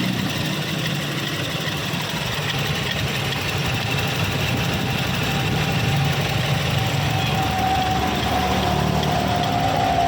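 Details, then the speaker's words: Toyota Kijang LGX EFI that would not start, now running after repairing a fuel pump wire that a previous person had jumpered. Loud, steady idle with an even low rumble and no misses, knocks or hunting. Normal idle restored. "Nah sekarang setelah saya perbaiki mesin sudah hidup Ya sudah normal kembali"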